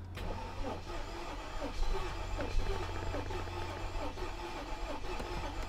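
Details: Mercedes S55 AMG, Copart car showing 100,000 miles, first key turn in the car hauler: steady low cranking drone for six seconds that never catches; turns over fine but gets no fuel, failed fuel pump (battery first suspected).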